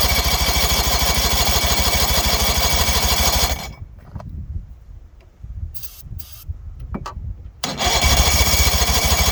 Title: 77 Evenrude 35hp won't start.